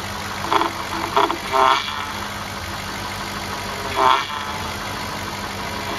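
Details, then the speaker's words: 2007 Cadillac DTS idling while the power steering is bled after a pump replacement, with about half a quart of fluid added: brief soft surges as the wheel turns. The pump is quiet, with no groan or whine. "We used about a half a quart. Hear how nice and quiet it got?"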